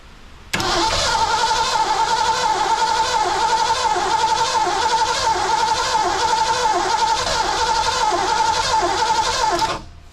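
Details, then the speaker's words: 1982 McLaren Mustang (Fox body), left sitting about 30 years, with a factory coil fitted and the timing chain slack but OK: the starter whirs evenly for about nine seconds with compression pulses but never fires. Ignition timing is suspected. "he's got to be timing it wants to come on it's like it doesn't have enough timing so that's way too much back it up"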